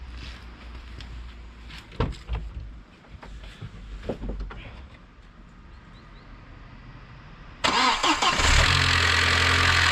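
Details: Fully cold engine, confirmed cold with a thermal camera, at cold start: it fires and a brief metallic rattle rides over the fresh idle, disproving the theory being tested; the source is not pinned down.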